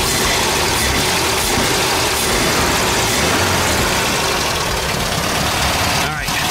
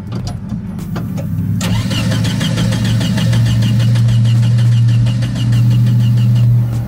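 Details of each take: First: 1971 VW Type 3 Squareback 1600 Variant air-cooled flat-four, first start, heavily primed, air cleaner off: settles into a steady, even idle with no knocks or misses; running healthy. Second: 1971 VW Type-3 Squareback 1600: steady cranking about three to four turns a second that never catches, no fuel pump hum at key-on; pump doesn't run though it gets warm.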